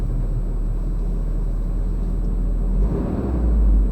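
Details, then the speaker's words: Truck pulling away in gear after warm-up on its daily E-Check driving loop, no check engine lights: deep, even low rumble with no knocks or misses. Engine running smooth and healthy. "listen to that motor isn't that sweet"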